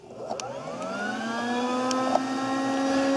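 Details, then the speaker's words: Volkswagen Jetta secondary air injection diagnosis: with the engine off, the air pump is energized by jumpering relay terminals 1 and 2. It spins up into a smooth, rising whine and settles steady. The pump runs normally, and no airflow at the tailpipe shows the combi valve is closed. "You hear the air pump is running."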